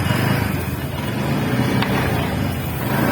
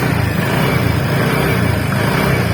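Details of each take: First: TVS NTorq 125cc scooter at 4318 km after repairing loose magneto nut: smooth even single-cylinder idle with steady low putter, no knocks or rattles. Normal idle after repair. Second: TVS NTORQ 125 scooter at 4318 km, engine running: heavy rough low rumble with loose chatter underneath; flywheel magnet nut had worked loose, tightened to fix, sound gone after repair.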